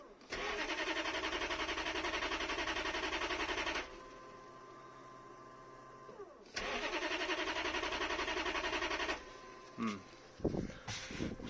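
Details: 1992 Lexus LS400 1UZFE V8, first start attempt after a fuel pump replacement, on a cold night: two steady cranking bursts of about 3.5 s with an even starter rhythm and no firing, because the injectors were not earthing.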